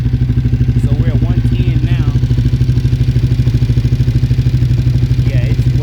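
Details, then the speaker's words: V-twin motorbike with Yoshimura exhaust after oil change and coolant flush, earlier smoke from exhaust area now gone; steady, even lumpy idle about three beats a second, deep exhaust, no tapping or knocking, healthy. "So, I thought the oil was probably, you know, just sitting, but now it's not smoking at all. It seems like it's running good right now, too. Those Yoshi exhaust sound good."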